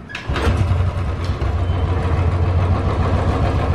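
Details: Royal Enfield single with a tik-tik engine noise, checked after the repair. A steady, even low thump at idle with no tick riding on top; running cleanly now.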